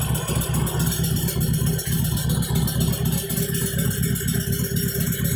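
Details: Stock 2013 Harley-Davidson Sportster XL883N Iron, stock exhaust before slip-on fitted: loud lumpy V-twin idle, about four uneven pulses a second with light clatter on top; normal idle.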